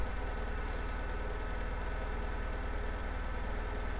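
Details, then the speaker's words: Saturn S-Series petrol engine on a very cold January morning, rough idle with misfire on a dead cylinder, running on two cylinders, P0340 code, unburnt fuel smell; low uneven stumbling chug, engine visibly rocking. "now it's doing it so it is running rough you can kind of and kind of see the motor rocking back and forth"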